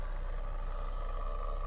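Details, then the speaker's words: 2013 Ford Explorer, 208,000 km, running: steady mid-pitched fan-like whine over the low engine hum from behind the dash, not the blower fan; source unknown. "i did notice a little bit of a almost like a fan noise but it's not the fan coming from the dash"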